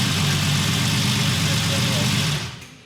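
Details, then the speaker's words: 1964 Ferrari 250 GT Lusso, restored after about 25 years in storage, first run; smooth, even idle then shutoff, dying instantly with no run-on because the engine is still tight. Gauges good; normal idle and clean shutdown. "You can hear that the engine's still tight, that it just stops dead like that. But as a first run, really pleased."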